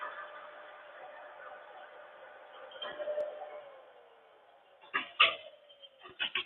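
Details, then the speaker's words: Table saw electric motor during rebuild, spun up: steady hum then coasting down with a rough gritty rasp; bearing shot and grinding. "yeah that from bearing shot in here grinding let's see an oil port for the front bearing"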